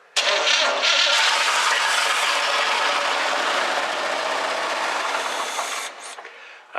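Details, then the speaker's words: 1985 Chevrolet Scottsdale K10 4x4 four-speed barn find, not run in years and needing a head gasket, started on fuel poured into the carburetor bowl vent: it catches almost at once and roars roughly about six seconds, then dies as the fuel runs out. "it fired right up so that was that was a good sign at this point we know it will run"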